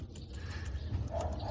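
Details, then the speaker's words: Bicycle chain with wax-based immersion lubricant that dried out after a ride through rain, mud and water: quick, light ticking from the rollers in time with the cranks over a low rumble; dry chain noise. "se a corrente estiver bem lubrificada a gente não ouve esse barulhinho aqui dos roletes então numa condição muito extrema funciona como qualquer outro lubrificante a base de Cera ele não resiste tanto quanto nós gostaríamos que resistisse"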